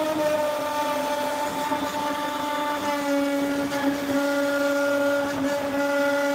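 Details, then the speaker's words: CNC router (Longmill MK2) 3D-carving aluminium with a fine taper ball-nose bit, spindle RPM being raised: high whine with shifting tones and a rough buzzy edge as the tool starts to chatter; feed briefly 75 ipm, then back to 65. "So now I'm going to turn the RPMs up. I can hear the tool chattering a little"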